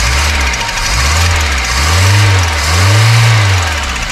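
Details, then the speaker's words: Volvo 245 DL abandoned 19 years since 2005, first start on old fuel with brake cleaner: slow surging revs over loud low drone with knocky roughness, little smoke; runs noisy, cause unclear. "it's running on the old fuel no way I don't know how noise is but that's"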